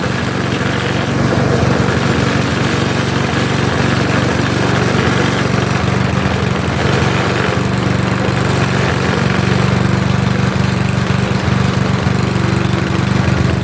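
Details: Trash-picked lawnmower, small engine, started after priming: steady, even low chugging with smooth exhaust beat, no misses or knocks; running properly.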